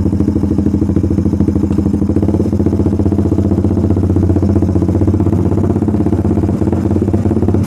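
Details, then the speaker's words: Suzuki Satria Fi150 single-cylinder, ridden with O2 sensor cable connected (compared against an anti-brebet cable): strong uneven stutter/misfire from 1000 to 2000 rpm, worst at 2000, gone above about 3000 rpm. "ini di RPM 2000 kerasa banget brebetnya kalian bisa dengerin aja suara motornya tuh ya kalau pakai kabel sensor o2-nya dipasang dari RPM 1000 ke 2000 Itu ada kayak mau berebet-breerebetnya sahabat ya"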